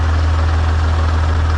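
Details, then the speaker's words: 6.7 Cummins diesel truck after a 900hp build (100% over injectors, 12mm CP3, upgraded pushrods and valve springs) and a valve adjustment, on tune 4: deep, even idle with no top-end ticking, much quieter than before; normal idle. "This truck is so much quieter at idle. I had no idea how loud it was because of the valves."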